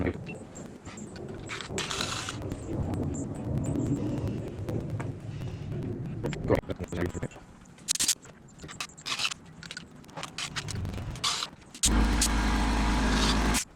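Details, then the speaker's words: Onsra Black Carve electric skateboard, belt-drive motors: uneven clicks and ticks over a low rumble as wheels spin; tilting board isolates clicking to the left motor; motor mount and belt tension already readjusted without change, cause unconfirmed. "so i tilted one one side just like this it's not this one watch if i tilt this side [Applause] it's the left motor"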